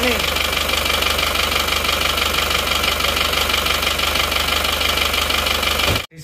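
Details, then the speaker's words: Isuzu Panther diesel idling on imitation "made in Japan" pistons/liners (seher), started before full reassembly; harsh, clattery knock about three per second over a hissy roar. The cheap parts make it run rough, and they were later replaced with originals. "rugi rp1.250 untuk belajar suaranya kalau pakai seher yang KW Jepang yang KW itu silakan dicermati silakan dinilai-nilai sendiri Ini suara suaranya seperti ini"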